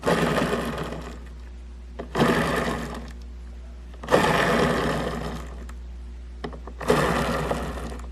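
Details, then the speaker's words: Skateboard wheel reused on a homemade scrap-built machine, spun by hand, still warm after about 3 minutes of running: rough grinding rattle surges with each spin then fades; owner suspects worn bearings likely to fail soon. "you can kind of hear the bearings turning inside the wheel. So I think sooner or later this one is probably gonna go, and I have to take another wheel off of my skateboard and put it there instead."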